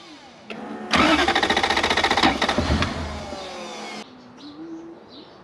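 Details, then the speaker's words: Toyota BJ40 Land Cruiser with 1UZ V8 swap and manual, previously totally dead and no igniter fitted: fast cranking with a few weak firing puffs that never catch; intermittent spark, later traced to bad engine earths. "um okay it's quite intermittent in the spark but it sometimes has some because you can hear it trying to fire up which before we brought it here it was totally dead"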